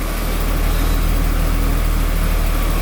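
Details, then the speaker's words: 1991 Daimler XJ40 after service work, heard at the exhaust at idle: low, even burble with steady rhythm, no misses; earlier lumpiness is gone, a lot smoother than before. "definitely a lot smoother than before. Before there was a little bit of lumpiness to it."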